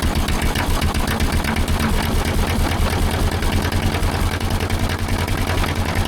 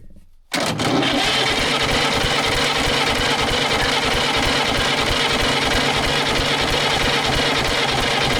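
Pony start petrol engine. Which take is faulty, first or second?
second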